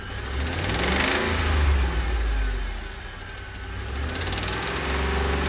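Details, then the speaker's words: 2008 Ford F-150 XLT 4.6L V8, warmed up: a knock from the left side that appears only once warm, grows louder while revving up and on acceleration, and quiets when rpm is held or drops. "I'm going to give it a couple revs and you can hear how the engine noise increases."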